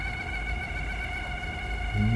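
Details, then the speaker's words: Sony TC-110A cassette recorder after belt replacement, running in fast forward; steady fairly high whine with low rumble underneath, noise seemingly from the motor. Source not confirmed; belts and an intermittent electrical fault were repaired. "It's noisy. Don't know where that noise is coming from. I mean, from the motor."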